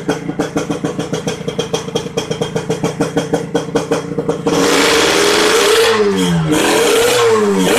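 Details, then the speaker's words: Kawasaki Ninja R 150 two-stroke after fitting a modified King piston with a dead-skip piston pin. Crisp, even popping, then clean revs rising and falling; runs smoother than with the Eriking piston. Normal revving. "Ini video setelah kepasang, suara mesinnya juga halus, lebih halus daripada pakai piston Eriking."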